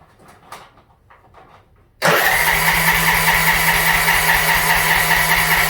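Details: Yard Machines (MTD) budget 42-inch riding mower with new starter, little fuel in tank, on choke: steady starter whir with even cranking pulses, about 2.5 per second, never catches; fuel shutoff solenoid stuck closed starving it of fuel.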